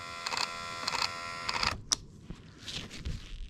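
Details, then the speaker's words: Driver's window motor with the door panel off, powered on the bench, gives harsh stop-start buzzing bursts only when driving down, not up. The motor is binding or failing and is confirmed as the fault, not just the regulator. "oh yeah hear it she was not happy with life foreign might have to take that apart see what's going on in there because it doesn't do it up only down"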